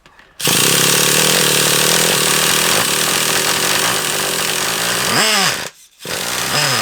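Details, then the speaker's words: Traxxas Revo 3.3 nitro RC engine: high-pitched buzz surging and sagging, nearly dying; running erratic and off-tune, with a suspected leak at the low-speed needle and a carb clean-out considered. "because it seems a bit earache to me that only seems like to you love but to me it seems a bit erratic and off a turn"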